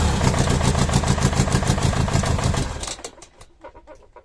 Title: OM611 from W638. First start after changing Bad injectors. One is still bad but is stuck very hard.